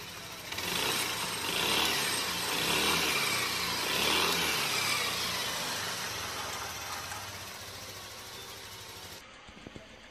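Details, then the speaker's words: Yamaha Aerox 155 VVA after replacing the camshaft with bearing and setting valve clearances to 0.10 intake and 0.15 exhaust: even, steady engine note with no knocking or ticking, then shut off; runs smooth, normal engine running. "Baik non setelah melakukan Hai bearing noken as atau noken as 1set itu mesin suara mesin menjadi halus ya"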